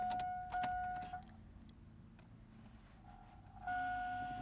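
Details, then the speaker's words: Truck won't start: key on, check engine and battery lights flicker with a harsh, obnoxious buzz in one-second bursts; battery tested 13.8 V but reads near 9 V, cause unknown; owner tried jumping the solenoid. "But the check engine light and the battery light would start flickering, and then it will have the most obnoxious buzz there is."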